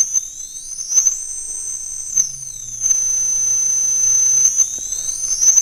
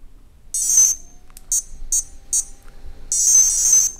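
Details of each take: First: Castle Creations Cobra 10A ESC with outrunner motor on bench, unloaded: high motor whine holds one pitch then jumps abruptly dropping back into startup mode, no intermediate speeds; speed gap between startup and run modes. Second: Castle Creations Cobra 10A ESC on the bench with an 1800 KV 540 outrunner motor: high-pitched power-up melody, one long tone, three short beeps, another long tone, clean and even; the ESC arms normally.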